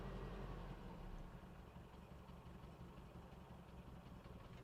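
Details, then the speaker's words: 1993 Toyota pickup, 22RE engine with 5-speed manual, just started after sitting a while. Idles very low and shakes badly, loping irregular pulses, near stalling, little exhaust smoke. Rough idle, low compression suspected. "Just barely. So, it's idling real low, it's shaking pretty bad, but it's running."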